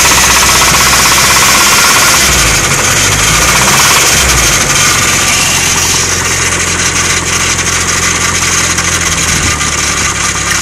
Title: SR20 rod knock?